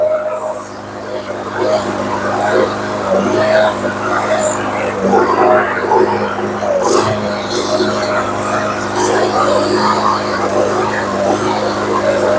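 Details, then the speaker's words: Troy-Bilt TB360 mower with a commercial Briggs & Stratton engine, whose carb was gummed by old gas; it holds a steady drone with a shaky, uneven beat, and it runs much better after a new spark plug. "Okay, she does run, but she sounds a little bit shaky. So we're going to go ahead and put a new spark plug in it and see if that takes care of it."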